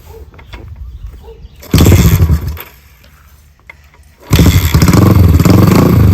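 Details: 50-year-old Honda CL350 Scrambler, long-parked, being kickstarted after battery and fuel hookup (gas leak present): catches, runs, cuts out, then fires and settles into steady, loud, even run; normal starting and running.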